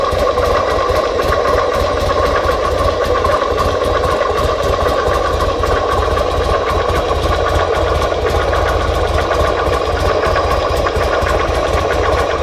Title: Buell XB9 sx 2005 Bruit moteur